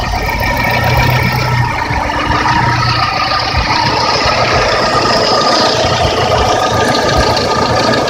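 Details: Lada with 21126 engine, warm: a loud, busy idle with a fast knock under the engine noise. It is very loud cold and quieter hot, inaudible from the cabin. Owner suspects piston knock and plans to disassemble.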